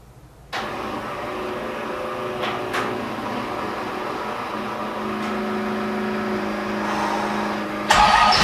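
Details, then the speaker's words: Supercharged stock 350 V8 with 6-71 blower in a NASCAR Tide car, first start: fires right up but runs a lumpy, wavering idle, starving for fuel and near stalling until pumped; timing set around 27 degrees. "it needs fuel is what it needs so i give it a couple pumps and it'll fire up [Music] okay yeah it's running out of fuel"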